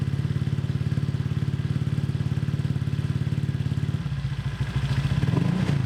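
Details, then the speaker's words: Honda Vario with CMS copy exhaust after the header joint was packed with a pot-mending patch: steady rapid thumping idle, turning boomy and hollow as the throttle closes; owner suspects the header area. Sounds fine on the road. "Kan gue nyobain ini agak kurang enak ya pas turun gasnya itu, apalagi kayak ada ember-ember gimana gitu, ember-ember kayak paralon gitu cuy."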